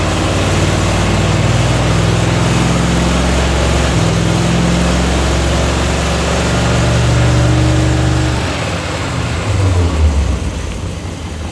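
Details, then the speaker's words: 1945 Cadillac flathead V8 with rebuilt 1945 GM Hydra-matic from an M24 Chaffee, no-load bench test at about 2600 rpm, 3.92:1 first gear: steady drone, then a slight engine hesitation as clutches and bands release and apply; normal upshift. "you can hear a slight the engine hesitates I guess there's a little bit of drag as uh as the clutches and bands uh release and apply"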